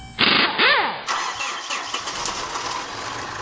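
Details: 2013 Mitsubishi Fuso FG, 4P10 diesel, months-long no-start: starter whirs and engine turns over unevenly for a few seconds but never catches; crank-no-start, cause unknown, injector fuel delivery next suspected.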